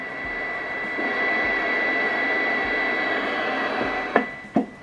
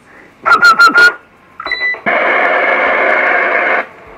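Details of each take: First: Galaxy Saturn CB radio on the bench at power-on, display faulty: steady high whistle near 2 kHz over receiver hiss, caused by the frequency counter interfering with reception. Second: Galaxy Saturn CB radio after repairing the faulty frequency-counter display and full alignment, about 7 W AM/FM and 18 W SSB; short bursts of clear received audio then steady even hiss, no crackle or dropouts.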